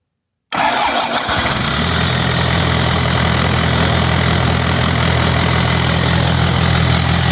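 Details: Early Cummins 4B diesel in a Case 580K backhoe, after a new starter and new low-side fuel pump and bleeding the lines, cranks briefly, catches and settles into a steady, even low idle; owner suspects a bad head gasket.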